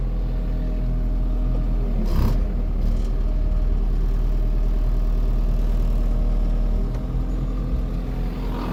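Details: Kubota KX080-3 excavator diesel, clean and dry with no leaks, fuel and oil filters just over 200 hours: steady low rumble at a constant idle, even firing with no knocks or grinding. Engine sounds healthy.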